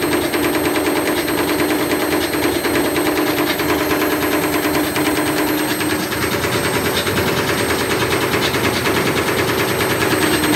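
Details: Candy Grand'O Vita GVC D91 CBB tumble dryer fitted with a universal washing machine motor: drum overspeeds, bashing around with fast uneven rattling thumps over a hard whirring spin, cutting off the white plastic front swipe pieces.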